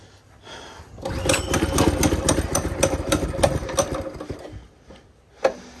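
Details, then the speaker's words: Baja Warrior small single-cylinder, long-sitting, running cold just after a zip-tie fix, pops unevenly at a fast patter, stumbling and fading. Owner suspects the carburetor needs cleaning and the engine needs to warm up. "Probably need to clean the carburetor. It's been sitting a long time. Probably need to let this warm up."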